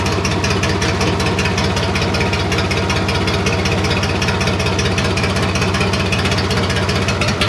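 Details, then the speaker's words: IH International 484 tractor, D179 three-cylinder diesel, just restarted after cylinder head reinstall with new exhaust valves and head gasket, straight pipe with no muffler: loud idle near 158 beats a minute with sharp rapping; owner suspects the fan hitting the shroud. "so loud straight pipe it's hard to hear the engine like the fan might be hitting the shroud here"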